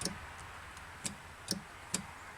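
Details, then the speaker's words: Penguin engine test-run after teardown, ignition on, reverse switch flipped: a quiet room with a crisp single tick about every half second. The reverse solenoid clicks normally before the engine is cranked in reverse. "i have a switch here for the reverse i flip it we should hear this solenoid click"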